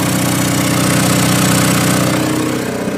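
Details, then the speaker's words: Onan DJB 6 kW diesel generator with a new muffler, running after a cold start, mic at the exhaust pipe outside the shed: a steady, even, fairly quiet diesel thrum with a smooth low rumble and no rattles. Normal running. "okay so that's all the noise it makes from this side so right here it's not very loud"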